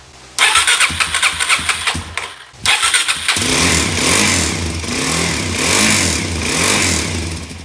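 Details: 2017 Suzuki DR-Z400S, stored with fuel left in carb, carb primed and TPS reconnected: ragged cranking, then catches and runs with an uneven, hunting beat; hard starting and uneven running, suspected carburetion fault.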